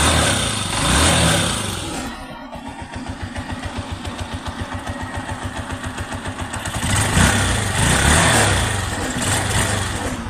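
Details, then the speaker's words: Honda TMX 125 single-cylinder engine after a bearing upgrade (the original needle bearing had crumbled and seized); even steady idle with a brief rev, no knocking or bearing rumble; running normally. "Okay na quality tahimik na tahimik ang makina parang Wang nangyari"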